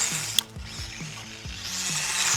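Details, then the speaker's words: Hobby Plus 1/24 brushless Speck SCT RC truck driven off-road over twigs: sharp ratcheting clicks about twice a second under the motor whir. Debris jammed in the drivetrain is suspected, or possibly a lost gear tooth. It later seemed to clear up. "It started making a clicking noise. I don't know if there's something jammed in this thing, in the drivetrain, but it sounds like he lost a tooth or something."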